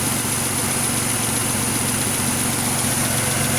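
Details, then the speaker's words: 2006 Pontiac Grand Prix supercharged V6, freshly swapped used engine that had metal debris in its oil pan and pickup, first run: steady, even idle with a smooth low rumble and no knock or misfire; exhaust crossover leak still to fix. "Man, she's idling smooth. Nice. Well, it is a good engine."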